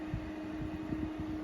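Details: Intervent 4-inch white axial extractor fan with pullcord (NVF100P), new, switched on at isolator: steady airy whoosh with constant low hum, no rubbing or ticking; running smoothly and moving air well.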